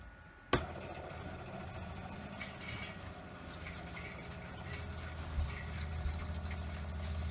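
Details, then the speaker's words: Motorhome water system after refitting the refurbished water heater burner, in winter with snow falling: a click, then a low steady pump hum with gurgling as the water heater fills and air is purged with the taps closed; normal pump operation. "Still, let's fire up the pump. Oh, we better close the taps first, so that nothing comes out. let's fire up the pump and get rid of all the air."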